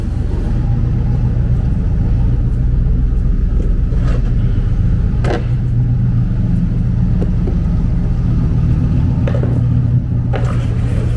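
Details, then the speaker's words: 1995 Impala SS with broken exhaust pipe, before welding: very loud deep raw uneven burbling rumble at idle like open headers; exhaust leak. Owner also suspects alternator failing. "Y'all hear how loud it is? Man, it's so loud. Sounds like open headers."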